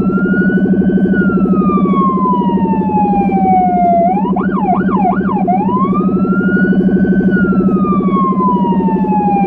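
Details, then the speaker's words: Federal Signal Rumbler switched on alongside the high-pitch siren on an emergency car in Budapest, recorded from inside the car while driving on cobbles. A rising-falling wail and a yelp burst over a deep pulsing 180–360 Hz throb: siren and Rumbler working. "A low-end frequency can get through more easily on hard surfaces such as car windows, so it makes it easier for the traffic to notice us and give us free space faster."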